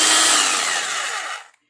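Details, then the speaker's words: Electric drill after repair (balance corrected): a smooth, even high whir that winds down cleanly when switched off, with no rattle. The earlier loud internal noise is fixed; a normal run. "दोस्तों इसके अंदर से बहुत जोर से आवाज़ ए रही थी वह ठीक हो गई और इसका बैलेंस भी ठीक हो गया"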